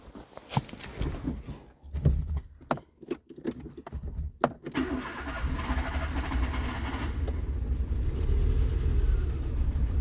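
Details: 2007 Renault Clio with prior crank-no-start and no module communication, after fixing one faulty cable: a few uneven cranking pulses, then engine catches and settles into steady, even idle; starts and runs cleanly.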